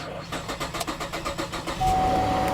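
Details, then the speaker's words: Vehicle at a Copart auction in about 50-degree weather: steady cranking about four pulses a second for nearly two seconds, then it catches and settles into an even run. It was a slow but successful start, with good oil pressure shown afterward. "It took it a minute, but it fired up."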